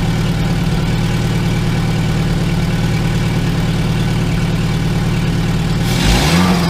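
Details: 2002 VW Gol after starter motor rebuild and injection harness connector repair: smooth, even low hum with a steady beat and no stumble; idles cleanly on all four cylinders.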